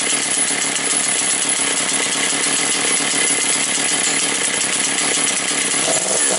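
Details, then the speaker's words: Motor Sich 475 two-stroke saw, freshly rebuilt; high buzzy snarl held steady on throttle, then revs sag toward stalling; runs normally when blipped but won't hold idle, owner blames the non-original carburetor. "як перегазуєш то нормально робить а якщо її так бу лишити на 5 хвилин вона зараз заглохне все"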